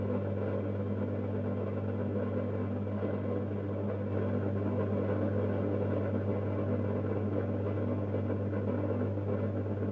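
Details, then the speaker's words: Mazda Junior G light fitting with a halogen-floodlight-style reflector, warming up: a loud, steady low buzz with no let-up, as the reflector vibrates even though it is screwed on tight. "On entend le réflecteur vibrer, et pourtant il est bien vissé."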